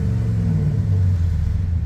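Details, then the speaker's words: Dodge with the exhaust disconnected before a new Flowmaster exhaust is fitted: a deep, loud, unmuffled rumble that sounds decent at idle and rough when revved, then drops back. "so anyway i have the exhaust open um it sounds kind of cool so let's come down and have a listen go ahead and start a hazy that sounds pretty good at idle not bad sounds like crap when you rev it though"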